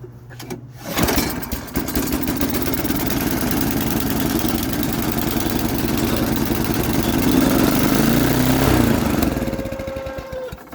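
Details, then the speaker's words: Marketplace snowblower said to have last run a couple of years ago, started on full choke with poor-quality oil; catches after a few pulls and runs loud and rough, speed wavering; owner suspects governor issue, unconfirmed. "hmm sounds like it may have a governator issue don't know let's find out again"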